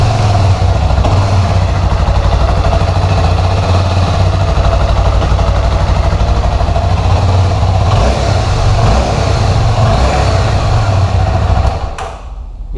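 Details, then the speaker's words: Honda CB 300 at 7,000 km, after repairing the crankshaft bearing defect that caused an engine roar: steady single-cylinder idle with an even low thump and no roar or bearing rumble; the noise is gone and the engine sounds healthy. "cb 300 finalizada motor já foi colocado no lugar e a fazer um teste nela tudo perfeito o barulho se acabou"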